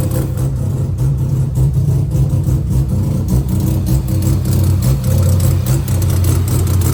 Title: 12a Bridgeport misfiring, electrical issue or something else?